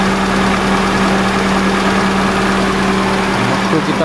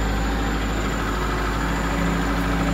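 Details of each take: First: 2002 Kia Visto idling with the AC on after the idle speed control valve was cleaned and resealed to fix surging revs; a steady, even hum under AC load with no surging or shake; idle stays stable. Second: 2002 Kia Visto with unstable, rising rpm: after revving, the engine drones at a constant raised speed and never drops back to idle, rising again right after the AC is switched off. High idle from a faulty or dirty idle speed control valve.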